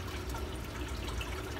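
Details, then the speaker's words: Sump pump discharging after a quiet check valve was installed: steady low water rush with no door slam or thunk from the valve. "that was pretty quiet I actually didn't even hear the door slam on it"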